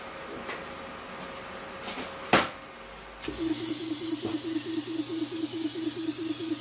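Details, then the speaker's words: Plasma cutter CAB-50 that won't cut, torch not releasing the arc; sharp click, then a fan and steady hissing air with faint pulsing tone start; fault traced to the compressor supply, low air pressure. "Her defects are related to Compressor."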